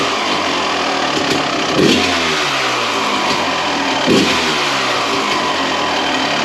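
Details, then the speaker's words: 1993 Honda CR250 two-stroke cold start after crank seal work and muffler repack, two crisp clean revs with no rattle or bog, much quieter than before; normal running. "There we go. That sounds crisp. A lot quieter than what it was there before."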